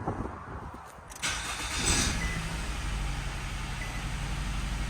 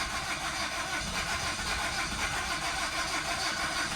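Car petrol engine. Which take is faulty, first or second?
second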